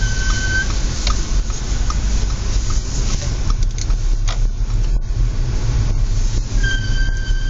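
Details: Audi S4 B8 in low outside temperature: steady high-pitched squeal briefly at the start and again near the end over low road rumble; brakes squealing extremely, cause unconfirmed.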